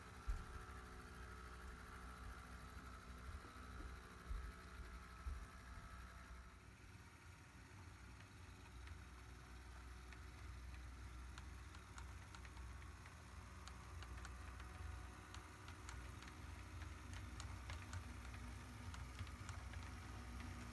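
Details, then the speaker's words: Four ~15-year-old first-release Atlas HO EMD GP30 model locomotives running together: steady thin motor whine over a low rumble with faint gear grinding; the owner thinks they need maintenance. "to the market and as such they have a bit of a whine to the motor and you can hear the gears grinding a little bit probably need to cycle them through the shock for some well-deserved maintenance at some point"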